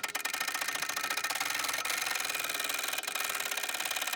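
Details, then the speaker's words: Long-dormant, seized turbo Ford 6.9 IDI diesel soaked with penetrating oil and turned on the starter. Rapid, even ticking as the engine turns over with no binding or stalls; it is freeing up. "I think that was a little bit of progress I watched this fin go from about here to about here"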